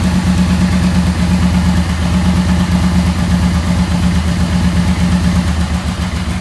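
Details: 1986 Yamaha Venture XVZ1300, about 30,200 km, after balancing carburetors, all pulling about 7: steady even idle with smooth low hum, no misses or knocks; carbs balanced, normal idle.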